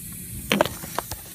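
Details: Faint steady high hiss from a small split in the shop air hose during a crankcase air test, with a few handling knocks; the air is from the hose, not the crankcase.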